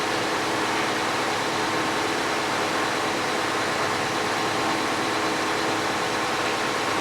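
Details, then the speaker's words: 2014 Dodge Grand Caravan, about 23,500 km, cylinder 5 misfire (P0305) after plugs and coil replaced elsewhere: steady fan roar with engine running; coolant sensor reads 5 V open circuit, probably why radiator cooling fan runs continuously. "l to coolant sensor High that's probably why the cooling Fan's running continuously"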